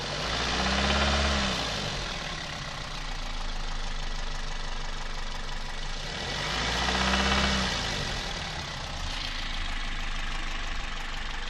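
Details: Toyota 1ZZ-FE engine knock: a steady tapping about four times a second over the idle, rising with each throttle blip; source unknown.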